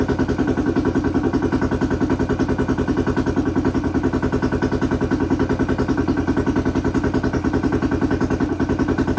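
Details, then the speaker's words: 2008 Honda 400EX ATV after a top-end rebuild following a melted piston from oil starvation, bottom end unchecked; started on choke, a steady, even single-cylinder beat of about 200 pulses a minute with no knocking or rattle, running normally. "sounds good though there's no no engine noise really can't really hear anything though over that exhaust"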